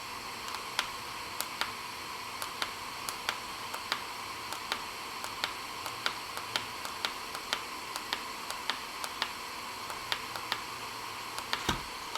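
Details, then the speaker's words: Lightning-damaged NuTone IMA3303 intercom radio section, scanning AM/FM: steady hiss with sharp ticks about every half second as the tuner steps, station barely audible and not changing; very weak reception, cause not yet confirmed. "and put it on am now the person on the very faint radio station has stopped speaking and now sounds like some kind of country western you probably won't be able to hear that i can barely hear it if i listen really hard"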